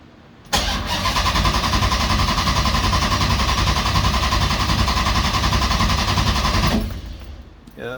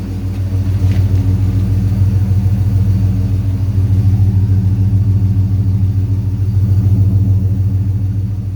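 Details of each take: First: 6.1 HEMI V8 swap in a 1970 Coronet: starter cranks evenly at about three and a half beats a second for six seconds but never catches; ECU shows a red crank-sensor light because of a wrong crank-trigger setting. Crank no-start. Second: 6.1 HEMI V8 swapped into a 1970 Coronet, warm with temperature climbing to 197: deep even burble at steady idle, smooth and regular with no misses or knocks, no longer running rich. Normal idle.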